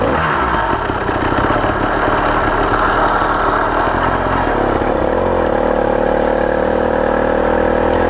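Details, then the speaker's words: Brand-new CDH110 two-stroke motorized bicycle engine (110cc, true 85cc, 52mm iron sleeve), first ever start; blubbery, uneven chug settling into a steady drone, wet and lazy; running rich. "first time I'm firing up this motor ever since it's brand new firing sounds Rich because it wants to fall out right away"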